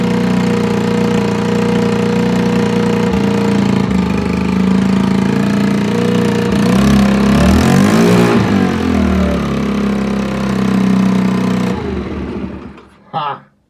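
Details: Longjia 50cc two-stroke scooter on 12 V portable jump starter (no battery) after carb cleaning and electrics sorted: idles steadily, revs up cleanly and drops back smoothly before shut-off; normal running.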